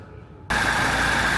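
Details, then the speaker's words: Classic Renault R16 after a bottom-end shell repair for low oil pressure and knocking, oil drained and refilled with 20W-50 mineral before a test drive: engine comes in abruptly and holds a steady, even idle with no knocking or rattles; runs healthy. "that sounds so good now I'm over the [Music] moon"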